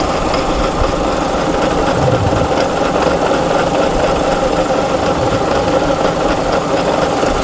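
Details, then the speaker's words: Mazda RX-7 FC manual transmission, serviced with oil full to the top, engine idling with a touch of throttle, heard from under the car: constant rough metallic rumble and clang under the idle; gearbox fault suspected, transmission to be dropped. "so that's the noise that he's talking about that clang-clang are you hear it you hear it so it looks like this trend is definitely not to come down"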